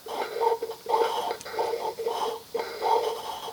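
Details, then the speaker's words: Disassembled RV on-demand water pump, motor reassembled to the plunger pumping element and shaft turned by hand: even, wheezing strokes about one and a half per second as the wobble plate drives the plunger and valves; normal pumping action. "so here's the motor part assembled to the pump and you can hear when i'm turning the motor"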